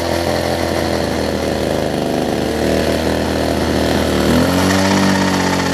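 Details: Older Homelite two-stroke hedge trimmer with new fuel lines and primer bulb, carb low/high-speed screws being turned: buzzy note holds unevenly, then jumps higher and steadier near the end; uneven running during carburettor adjustment.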